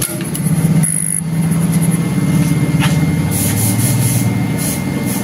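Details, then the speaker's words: Honda CB150R LED with ignition on: a quiet, steady low hum as the fuel pump runs nonstop instead of stopping; the cause turned out to be a faulty ECM. "kedengaranah ini dengung terus ya tapi gak begitu tidak begitu k Mas ya"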